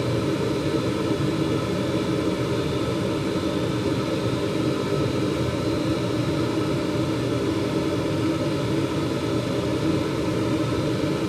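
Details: 2021 Carrier gas furnace after inspection, cleanup and filter change, heard from the burner view on seasonal startup: smooth, steady roar with no pops, rumble or flutter; burner firing cleanly.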